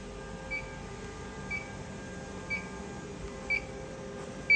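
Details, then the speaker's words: Mimaki JFX200ex flatbed printer during negative/positive air pressure adjustment at the back of the beam: short high chirps about once a second over quiet room hum, an out-of-range pressure warning that continues until the throttle valve is brought slightly further down. "So, it's still beeping. I can still see that I still sort of need to bring it a bit further down."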